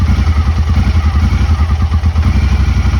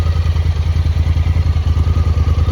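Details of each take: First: Honda Talon before the fix: uneven, lumpy idle with a stumbling beat under a steady low rumble; it used to stall when put in gear; owner first suspected fuel; rough running. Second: Honda Talon that had suddenly started running rough, with a fuel issue suspected: back from a muddy ride, it has a steady, even low idle thump with no misses; it is back to normal and a fuel pump replacement was avoided.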